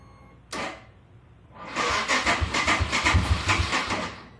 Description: trying to determine if my 2019 RE Himalayan has a bad starter or bad battery, it will start many times back to back but always slow to start.